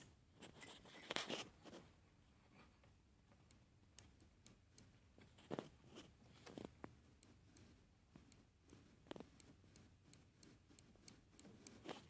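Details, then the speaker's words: Upgraded Neo-Tantillus 3D printer, axis end-stop mechanical switch, mic held close as the head is moved to the edge; crisp light clicks about two a second, switch tripping cleanly as it should. "let me get the mic for you to hear the clicking song it is the song of the mechanical switch being ticket"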